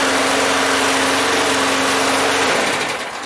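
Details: Yard-sale Craftsman walk-behind mower after cleaning and refitting the air cleaner assembly with a clean air filter, tank almost empty: small single-cylinder engine at a steady, unbroken high buzz before tapering off; running smoothly.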